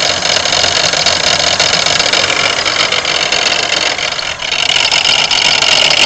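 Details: 1992 Pontiac Grand Am 3.3 at idle: harsh, hissy metallic rattle with a grinding edge, loudest in the higher range; owner suspects the harmonic balancer, but this is not certain.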